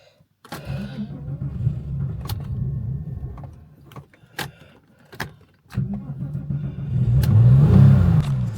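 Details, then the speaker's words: Porsche 996 911 that sat in a garden for years, engine rebuilt with new sleeves, polished crank and new bearings, previously running rough and misfiring: sharp relay clicks, then catches and runs with an even low rumble and brief rev, sounding better; normal running, immobiliser reads key. "Okay, so it runs, so that means the chip in the key is being read by the immobiliser. Otherwise, it wouldn't start to even jump in the relay. So, and it's sounding a lot better as well than it did previously."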